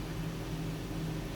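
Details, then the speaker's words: 2007 Supercharged Range Rover L322 after throttle body cleaning and battery reconnect: after a rev the engine drops straight back to a low, even idle with no surging or hunting; normal idle, surge fixed. "Yep, that's what it was. Very smooth, very good."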